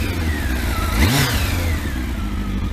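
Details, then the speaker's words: Kawasaki ZX12R, fully warmed up: warm idle, then a quick clean blip that rises sharply and falls back smoothly to steady idle; crisp, healthy, F1-like throttle response. "Right, my ZX12's fully warmed up. Lovely and sweet is that. Sounds like a bit like an F1 engine, to be honest with you, like that."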